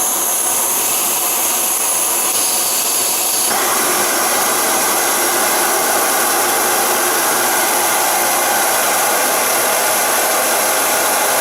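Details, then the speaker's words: Primus Omni Fuel multi-fuel stove, noticeably louder than the MSR Whisperlite Universal: steady, loud hissing roar with no sputter or pulsing, blue flame; normal burner roar. "Now let's take a look at the Primus Omni Fuel. This stove, unfortunately, is a lot louder."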